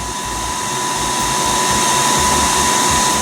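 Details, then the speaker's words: HP ProLiant DL180 G6 rack-mountable server in open air before soundproofing: loud, steady rushing roar with a thin high tone on top and no change in speed; cooling fans running at full speed. "No, that in fact is the sound of my HP Proliant DL180 G6 rack-mountable server that I've had in the lab for some time now. And as you can hear, the racket it produces is unbearable."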